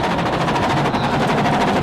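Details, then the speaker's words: Rally car at speed on a gravel stage of the 2002 Acropolis Rally, nine miles from the finish, with a fast machine-gun rattle over engine and gravel noise. A puncture happened without hitting anything, and the shredded flat tire is flapping against the bodywork, forcing a stop to change it. "get another puncture this one with nine miles to go you hear the tire rattling against the bodywork he has to stop and change it"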